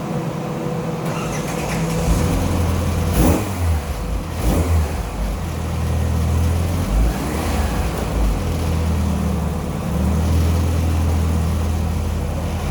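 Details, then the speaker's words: Skoda Felicia rally car with Polo GTi ARC engine on throttle bodies, rally exhaust, straight-cut gearbox, dyno run from front: drone wavers and sags near the top instead of pulling cleanly, flat spot; 133.7 result, compression questioned, unconfirmed. "It feels good when it gets going, but then as it gets near the top, it starts to get a little bit wavy."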